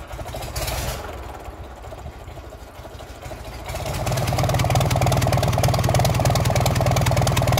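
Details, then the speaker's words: Gardner 6LXB diesel, 1972 Atkinson Borderer, nearly a million miles, rerun with exhaust manifolds removed to check smoke per cylinder: loud, raw, even clatter about three beats a second; smoke equal on all cylinders, no single-cylinder fault. "the smoke is about the same for all the cylinders so we're not looking for a problem specific to an individual cylinder"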